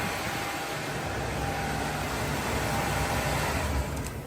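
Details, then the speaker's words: 1975 Chevrolet Caprice convertible, back running after gas tank holes repaired; starts quickly and settles into a steady, even roar with no knocks or misses, running like a sewing machine: normal running. "Yes, sir. Y'all see that? Y'all hear that? Run like a sewing machine."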